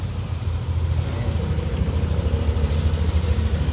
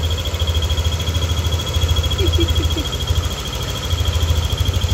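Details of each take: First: Yamaha NMAX V2 scooter, warm engine, after repair of squeaking and whistling noise: steady low even idle with no squeak, whistle or rattle; engine healthy. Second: Yamaha NMAX V2 scooter at idle, engine fully warmed to normal temperature: a thin, steady high whistle or squeal over a quick, even idle that appears only when hot; source not yet pinned down.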